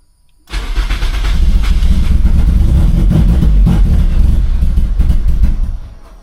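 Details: Turbo Toyota Corolla with fuel pump work: the pump is heard priming, then rapid cranking catches with ragged firing for about five seconds and dies; it won't stay running, no check engine light, owner suspects almost no fuel.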